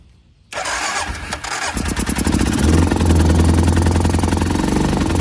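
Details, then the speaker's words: Used single-cylinder ATV from a multi-machine lot: catches after half a second, steady thump near 3.5 per second on held throttle, won't settle to idle; cause unconfirmed. "Keep this right in here. It's not going to idle. I get the gas off still."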